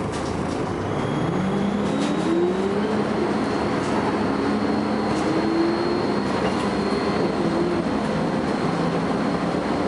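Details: First Manchester Volvo B10BLE bus, recorded 30 May 2011: heavy road roar with a thin high-pitched whine climbing as speed builds, fading and returning; source unclear.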